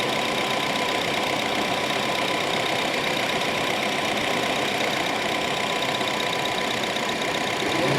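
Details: Honda City electric radiator fan after repair of weak fans that let engine temperature rise; idling, fan on high: steady loud rushing whoosh, even, no rubbing or rattle; fan working normally.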